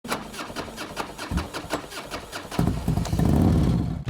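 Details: Triumph Speed Triple 955i three-cylinder motorcycle engine: sharp, uneven knock around three a second, louder as revs rise. Connecting-rod big-end bearing play, with the affected cylinder found without removing the sump; rod bearing knock.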